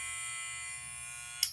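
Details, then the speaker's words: Barber's clipper running after its button was calibrated with the clipper on to remove an odd noise. An even, loud, steady buzz with no rattle before it clicks off; the motor is healthy, and these clippers are normally noisy. "Y ustedes dirán, se oye mucho ruido, pero pues estas máquinas son así, son ruidosas."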